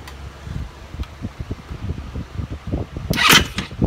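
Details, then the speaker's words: Honda Ruckus GY6 180cc scooter after carb cleaning and draining dark, likely water-contaminated stored fuel: engine fires but runs rough with uneven stumbling pulses, misses and a brief rev burst; owner suspects remaining bad fuel, weak battery noted. "still not running 100% because I'm sure it has crappy fuel on it"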